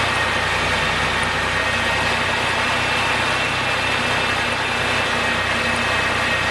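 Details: 2002 Ford Taurus 3.0 V6, first start after replacing the cylinder 3 fuel injector for a P0303 misfire. A slight stumble at first is expected, then it settles to a steady, even idle with no skip.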